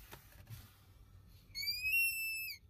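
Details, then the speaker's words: Pushing the brake pedal hard opens a vacuum leak at the pedal plunger of the vacuum brake booster; a faint hiss turns into a loud, steady, high-pitched squeal that also hinders braking. "there we go we start leaking vacuum and it causes that squealing sound and it also hinders brake performance"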